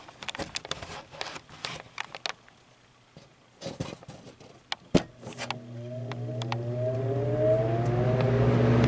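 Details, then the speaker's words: Vintage Brentwood box fan, not yet oiled: a few handling clicks, then a hum climbing slowly in pitch as the fan drags itself up to speed; sluggish start-up, owner expects it to spin faster after oiling. "I thought it would stop rather quick just by how how it didn't want to even start turning there at the start okay you can really hear the startup zone from this side"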